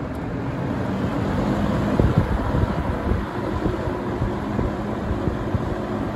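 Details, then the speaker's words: 1970–71 Windsor (Lakewood P-21) vintage box fan running on low speed, slightly out of balance but barely noticeable: steady hollow bassy whoosh of high-volume air, industrial sound, no rattle or scrape, running normally. "it has a very industrial look and sound to it it kind of reminds me of um the air movement kind of reminds me of that 24 inch max air drum fan kind of sounds like that too it's got kind of a hollow bassy sound to it"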